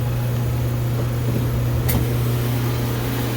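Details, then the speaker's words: Chiller back running after a burnt loose wire at the relay/control was repaired; compressor and both pumps running at 65 degrees, 117 V incoming. Steady low compressor hum with even tone and a brief click; normal chiller operation. "65 degrees, compressor's running. Both pumps are running."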